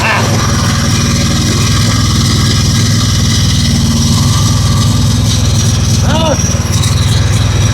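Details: Husqvarna riding mower with Kohler 7000 series engine, no-start with new starter and carburetor; small single-cylinder engine catches and keeps a steady, even low putter about four beats a second. Suspected fuel flow issue at the tank, trash suspected.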